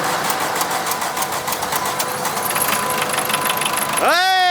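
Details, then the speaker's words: 1981 Volkswagen Rabbit diesel on used deep fryer oil, restarted after overheating badly and cooling down: rough clatter then revs climb on their own into a rising howl, runaway again; owners suspect a holed piston burning oil, not confirmed. "Oh! But oh no! She's running away again. What does that mean? If we're running away on oil, that means we burned a hole in her piston."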